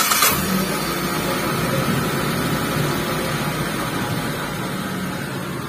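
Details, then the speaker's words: T120SS injection after cleaning dirty ISC and throttle body, engine warm: brief start-up catch then quiet, steady idle near 600-700 rpm, no hunting or surging; previous high, unstable idle fixed. "Sedangkan untuk posisi stasionernya sudah normal ya sudah di posisi ideal suara mesinnya kurang lebih seperti ini ya sudah halus untuk stasionernya"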